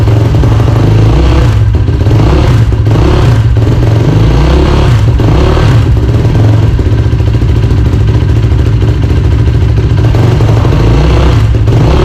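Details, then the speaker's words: Yamaha YFZ450R XC race quad, first start and heat cycle after engine rebuild on break-in oil: loud, steady single-cylinder idle with a few blips, no knocks or ticks, brief residual-oil smoke; normal idle. "okay guys well there you have it she runs and she runs good so it sounds just as good as when I took it apart which is sweet"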